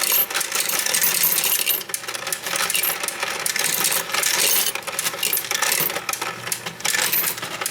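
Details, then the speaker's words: Royal Sovereign FS-44P coin sorter/counter sorting a jar of coins: constant bright coin clatter over light mechanical clicking, which is the normal anti-jam mechanism. "And there is a clicking sound that you'll hear while the machine runs. That's normal. That's the anti-jam mechanism. You'll always hear that clicking sound."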